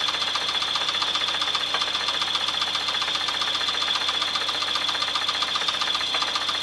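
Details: 1996 Chevrolet S10 4x2, 2.2L I4 MPI, 146,300 miles, running: sharp regular light tick about two to three per second over idle; engine knock, cause and remedy unknown, engine for sale for parts.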